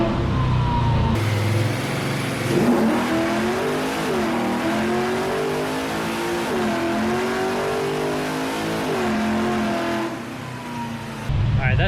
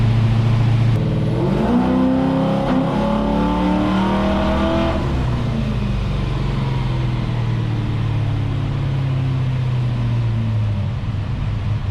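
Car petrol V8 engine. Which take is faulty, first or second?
second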